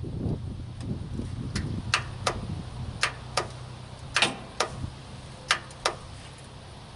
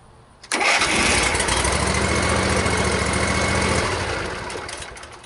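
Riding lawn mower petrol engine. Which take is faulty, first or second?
first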